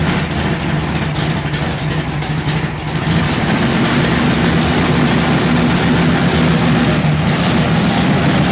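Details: Newly installed 511 low-deck wedge V8 (440-based block) with MSD ignition and B1-sourced headers: deep loping chug about three beats a second over loud exhaust rumble; rough big-cam idle by design, otherwise healthy.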